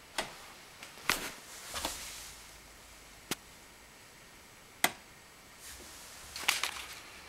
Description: Sound coming from near the vent. Sounds vaguely like an electrical discharge.